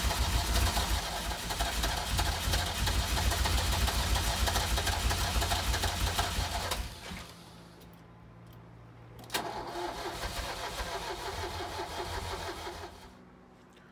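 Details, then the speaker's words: 1983 Ferrari 308, about 38,774 miles, rebuild project: even cranking about three turns a second for seven seconds, never fires; battery sounds low, fuel level and a tank leak suspected; crank no start. "so we're no go with that one it's not firing up"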